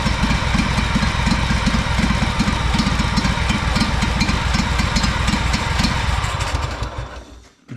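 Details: Honda 4118 riding mower, GXV 610 twin, new starter and two new coils after mice damage: uneven stumbling beat of about four pulses a second, never settling into steady idle; sputtering, rough running, cause unknown.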